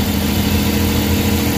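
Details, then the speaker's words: Suzuki K6A engine (DA63/DA64) after a general overhaul, warming up and settling into idle: smooth, even low rumble with no knocks or misses; normal idle. "Yan, medyo umiit na siya. So kaka-idle na yan."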